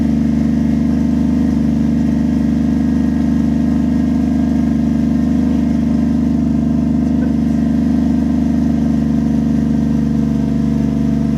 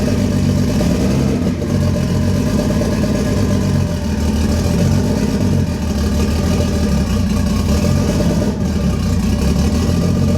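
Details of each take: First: 1JZ-swapped Lexus IS300 restarted after replacing a failed coil pack: smooth, even idle with a deep steady hum and no misses, stumbles or ticks; engine running cleanly, temps good. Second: Lexus IS300 with 1JZ engine swap, first start after wiring harness work: uneven, lumpy running with a stumbling low beat, a misfire from a failed coil pack, later replaced.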